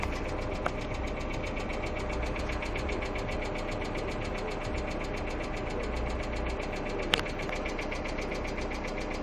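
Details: Hyundai Accent II at steady idle with fast, even, light ticking tied to engine speed above the hum, a hydraulic lifter tick.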